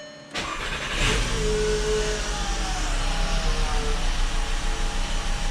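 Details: 2007 VW Rabbit 2.5 five-cylinder after repairing broken coil pack connectors: quick crank and catch, then a settled, even idle with a steady low pulse; normal start and idle.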